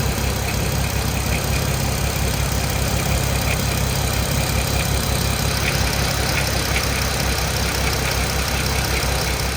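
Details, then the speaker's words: VW R32 VR6 with about 300K on the timing chains, running: a faint, irregular light ticking up top, like a small marble rolling under the valve cover; worn timing chains, replaced afterward. "another way to check the condition of your timing chains is to actually listen to the motor when it's running and if you listen to this clip here you're going to be able to hear it sounds like there's like a tiny marble just like rolling around at the top of the valve"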